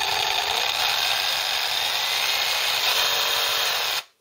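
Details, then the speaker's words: Ryobi 18V One+ tool powered by a 12V laptop power supply via dummy battery case, running off load, peaks about seven at start, less if started slowly; steady high-pitched whir at constant speed until switched off; normal no-load running. "so off load just running on its own it is pigs at seven when you start it up but if you started slowly"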